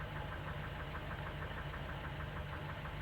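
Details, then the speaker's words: Engine idling unevenly with a light, somewhat irregular clatter about twice a second, apparently top-end valvetrain noise; owner says valves no longer open properly and the engine struggles, with backfiring; cause not confirmed. "donc un moteur a de la misère à fonctionner correctement les vagues ne seront plus comme elles seraient exposées s'ouvrir plus assez en tout cas qu aux hans backe fayolle et entend un bruit de la claque un peu"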